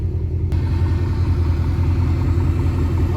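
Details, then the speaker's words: 2005 Chrysler 300C 5.7 V8 idling after main fuel pump and sending unit replacement, out of limp mode; low, steady rumble with even beat, no misses, knocks or stumbles, fuel pump audible: normal idle. "You can literally hear the fuel cycling through and everything running like that. You can also hear this big ass 5.7."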